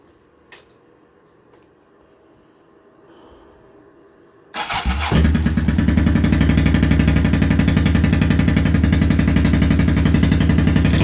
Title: 1983 Honda Shadow VT750C after rebuild